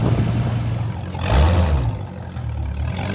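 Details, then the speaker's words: Crashed Dodge Hellcat SRT V8 after rebuild, driven with no doors or windscreen: deep smooth rumble swelling cleanly through a quick rev and settling back, no knocks or misses; healthy engine. "Nothing like driving a Hellcat round with no doors on, no windscreen to wake you up on a Friday morning. Guys, listen to that, it sounds so good."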